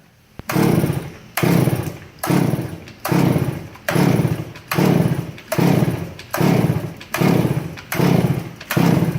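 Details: Stihl MS 461 two-stroke chainsaw crushed when a log rolled onto it, carburetor not adjustable: fires and runs in short, even revving bursts about once a second, so the saw still runs.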